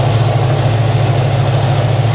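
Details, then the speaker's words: 1996 Chevy Camaro Z28 V8 with 6-speed manual and K&N cold air intake, idling with cooling fan running and temperature normal: smooth, even low burble with no misses, knocks or ticks over fan hum; runs and sounds nice, normal idle. "She runs out nice, guys. I don't know how it drives. All I've been able to do is back it up, but she runs nice. She sounds good."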